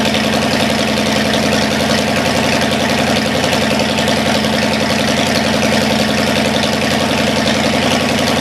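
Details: Cadillac 390 V8 run after sitting 8 years, cold and not yet tinkered with: steady, even idle, smooth rhythm, no knocks or misses, slightly fast. Water pump dripping, carburetor leaking less. Normal cold idle, slightly high.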